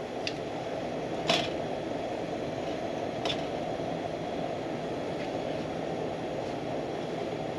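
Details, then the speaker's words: Military pressure lantern, not lit for several months, overfueled before lighting: steady rushing roar with a few sharp pops and spits as it warms up. "Again, I overfueled it. That doesn't happen very often."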